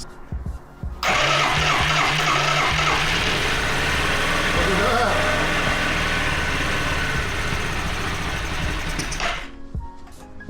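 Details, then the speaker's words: Yamaha Riva 125 scooter, temporary carb wedged in, started for the first time: it catches at once and settles into a steady, even putter with no misses or knocks. The motor is healthy despite an earlier claim of bad compression. "You guys saw it. There's literally nothing wrong with this motor."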